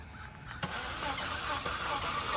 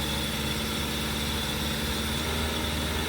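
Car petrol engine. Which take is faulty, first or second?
first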